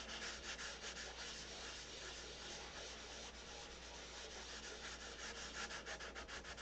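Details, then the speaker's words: Wet sanding a Big Tucker control-line model airplane finish with 600 paper after 320: soft, even rubbing strokes about three a second, grinding noise subsided, no harsh scratch; surface is smooth. "Now the noise has subsided. That means it's smooth."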